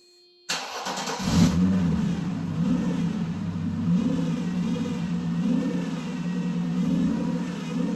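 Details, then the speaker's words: Mercedes sitting 13 years, first run on its own fuel after repairs, belt removed: engine catches and settles into a fast, raised idle that holds steady instead of dropping; high idle. "This car is running. This car is running on its own fuel. Unbelievable. I mean, it's idling high, but like what do you expect?"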